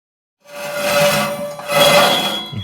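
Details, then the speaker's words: Carrier HVAC blower wheel spun by hand after its bolts were tightened: a hissing scrape with a thin metallic ring as the squirrel cage again brushes the housing. It needs removal for inspection. "that so it's definitely brushing up against this again this time i'm gonna have to remove this piece uh from these bolts here"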